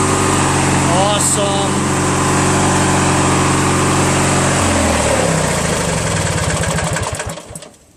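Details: Craftsman LT1000 lawn tractor, 21HP opposed twin, after engine rebuild, automatic transmission; strong steady even drone dropping in pitch as it winds down and stops, no knocks or misfires.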